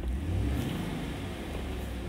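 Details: 2011 Chevy Avalanche, 168,556 miles, in for check engine light with P0521/P0523 oil pressure codes: smooth, even engine note climbing and holding under a rev, no knocks or ticks; oil pressure rises to about 40 psi, now normal versus about 15 psi earlier.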